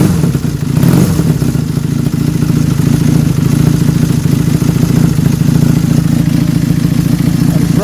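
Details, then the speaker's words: 1979 Honda Superdream twin after cosmetic facelift and battery cover refit: steady, even low burble with no knocks or ticks; running quite nicely, healthy after starting. "And it's running quite nicely."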